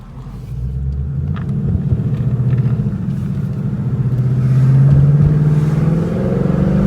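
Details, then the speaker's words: 2017 Ford Mustang GT (S550) after replacing the left rear half-shaft thrust washer: driving under throttle, low engine drone climbing smoothly with speed, no clunks or knocks on take-up; normal driveline, clunk fixed. "that absolutely would have made that noise right there oh yeah boys and girls I'd say we fixed it"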